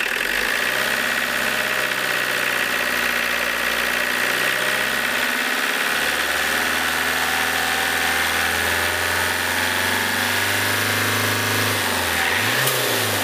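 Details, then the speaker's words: Diesel engine with Lucas DPC injection pump, warmed up, after injection timing adjusted to the optimum: runs noticeably softer, steady idle with smooth throttle blips, no harsh knock, little smoke; normal revving. "Так, ну немножко помягче стало, чувствуется. Немного помягче стало. Наверное, на этом я и остановлюсь. Видите, как мягче стал работать?"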